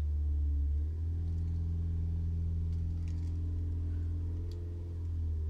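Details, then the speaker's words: Ford EcoSport 2.0 with DPS6 PowerShift dual-clutch, check engine light on, held at 2,000 rpm in gear: steady hum, no load and no movement. Clutch not engaging, no drive or reverse. "y aceleran el vehículo reversa y vendrá aceleramos a 2.000 revoluciones y no da marcha adelante"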